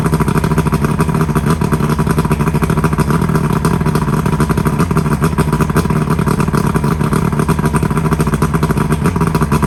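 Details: Johnson V4 outboard (1995 or 1996) after new power pack fixed no-spark; fast, even two-stroke burble, steady firing pulses, no misses, running smoothly on all four cylinders; heavy smoke, possibly from not being run in a while.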